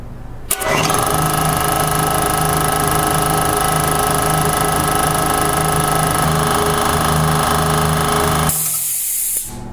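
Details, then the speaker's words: Older belt-drive air compressor with newly fitted unloader-type pressure switch, dual-voltage motor temporarily wired: pump drone runs eight seconds, stops abruptly at cutout, then short fading hiss as unloader bleeds head pressure; normal unloader release. "so you saw how the unloader valve helped release the pressure between the compressor and the tank probably helps it run a little bit more efficiently"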